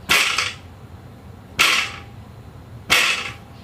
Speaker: here are two brand new identically red built units I'm going to show you the difference in the rattle of that little spacer in the in the joint number three